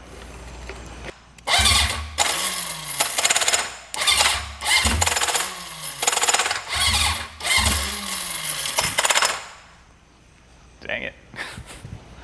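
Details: Junkyard Honda CB750F, sat for decades, restart attempt after briefly running: repeated high whirring bursts winding up then sagging without catching; starter spins freely without turning the engine, starter clutch suspected failing.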